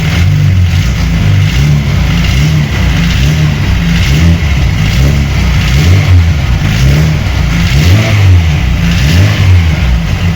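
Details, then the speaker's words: VAZ 21099 after engine repair, warmed up with the fan cutting in at 101°: deep engine rumble with a rough, uneven low rattle through the revs; the gearbox is noisy, not the pistons, and the exhaust also rattles. "До речі оце та не поршень а коробка от послухайте це шумить коробка"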